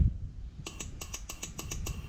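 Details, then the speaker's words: 2009 Cummins 6.7 diesel injector on the bench, energized by test leads with air pressure applied: crisp, evenly spaced sharp clicks about four a second, solenoid switching cleanly; normal injector solenoid click. "I'll get you close again here on this one same idea so you can hear that clicking"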